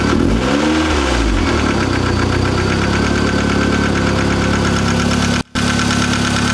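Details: Mazda Miata freshly built engine with Wiseco FM pistons and Belfab rods: harsh, clattery diesel-like rattle at idle and revs; source unknown.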